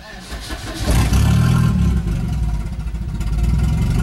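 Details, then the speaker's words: Volvo 245 after turbo swap: brief crank, then it catches at once and settles into a steady, smooth idle without stumbling; clean, healthy start. "But starts right up."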